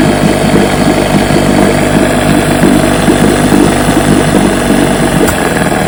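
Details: Fully restored 1958 Johnson 7.5 hp two-stroke outboard, barrel test without silencer fitted: smooth even burble at steady speed, no misses, knocks or surging; runs great, idles down with a sweet purr, normal running.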